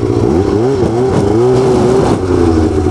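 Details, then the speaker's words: Snowmobile revving with wavering pitch and irregular grinding clunks from the drive, possibly after breaking ice out of the track; clutch seemed to skip driving the main pulley, drive shaft found destroyed. "grinding something's grinding you want to bring it inside so yeah it's definitely doing what I used to do"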